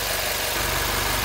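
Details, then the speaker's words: Freshly rebuilt 2012 N14 Mini JCW Coupe warming up at idle, with new OEM chains, water pump, drive pulley and replaced belt tensioner. Smooth, even idle with no ticking, rattle or squeal; dry and healthy. "so you've got an idea it's nice and dry lovely no noise at all i have to say lovely to see it's quite typical so we'll just let her warm up"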